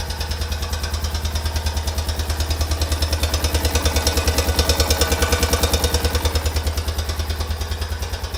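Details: 2004 Honda Rincon about 30 seconds after a fully cold start: an even, heavy knock of about three beats per second at idle. It disappears once warm and returns only after the engine cools.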